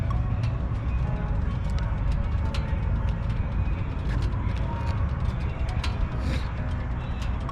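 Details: 2011 Yamaha Stryker V-twin with factory exhaust, idling after a replaced fuel pump fixed a crank-no-start; deep, lumpy, steady beat without stumbling; normal idle.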